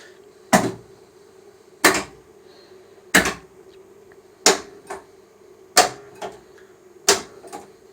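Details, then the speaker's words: Sega/Stern pinball power driver board after repair, coil test stepping through coils that were previously out: crisp solenoid clacks about every 1.3 s with a faint buzz; all coils now working normally. "I'm going step through the coils the coil test now we had a whole bunch out before so hopefully we're all good now"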